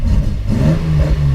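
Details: Home-built Datsun 240Z engine restarting after running out of fuel on a road trip and refilling from a jerrycan; catches cleanly and pitch climbs smoothly as it revs, no stumbling or misfire; normal revving.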